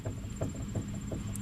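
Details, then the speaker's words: Worn front sway bar end link on a Ford Focus, rocked by hand: light hollow clunks about three a second from the loose joint, which moves and rattles whenever the suspension works; the axle boots are intact and tight. "that's that joint worn out here so every time the suspension is working that thing is moving around and rattling"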